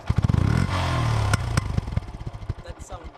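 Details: Single-cylinder bike idling with loud, uneven exhaust pops ("farting"), louder when riding; a senior technician blamed a bad spark plug, so the plug is being replaced to see if the misfire stops.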